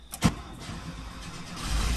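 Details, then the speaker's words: Engine with Weber carburetors and electric fuel pump, cold start after sitting a couple days, spark plugs cleaned in Coke and salt and reinstalled: sharp click, catches and settles to low even rumble, no misfire; normal cold start. "There we go, there we go. Now that is a cold start. That's probably a couple days of sitting."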